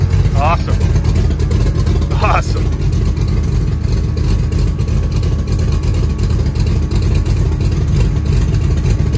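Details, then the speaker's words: 1966 Chevrolet C10 with LS swap, Craigslist mystery aftermarket cam reinstalled in place of stock cam, before HP Tuners tuning: deep loping V8 idle with choppy beat about three pulses a second, sounds better and seems to run better than stock cam. "this is actually a huge diff from that stock cam it sounds way better it seems to be even running better"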